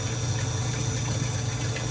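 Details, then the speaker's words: Electric fuel pump in a test assembly, fully submerged in fuel as the level rises: steady, even low hum with no surging or rattle; pump operating normally, though pressure is high and the regulator needs adjusting. "Now it is full of fuel. The fuel pump is pretty much completely submerged in fuel. See, let's shake it so they can see. This fuel pump is doing its job."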